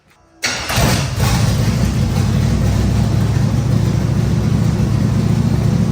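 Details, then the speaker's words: Camaro race-car build, first start after fuelling, on jack stands: engine catches at once and settles into a fast, lumpy idle that stays high; idle set too high, owner to adjust. "run sounds like it's ID don't little too high let me adjust some things and then we'll see what happens"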